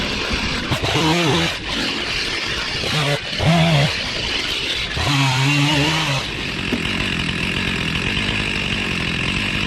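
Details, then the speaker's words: Stihl MS 361 chainsaw cutting cedar blocks with the bar oil tank empty, probably since its last use. The saw bogs and rises through the cut with a harsh, strained chain rasp. Bar and chain are running dry with no oil. "I could hear it in the saw chain, and shame on me. There's there's no oil left in that tank."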